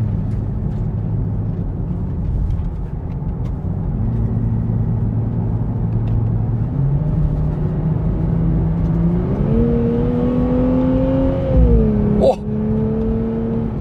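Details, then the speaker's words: Nissan Fairlady Z Nismo V6 during acceleration in sport mode: smooth note climbing cleanly through the revs, dipping on the upshift with a sharp exhaust crack (brep). A healthy engine pulling hard. "brepnya juga ternyata pindah giginya brep kedengaran banget suara v6-nya"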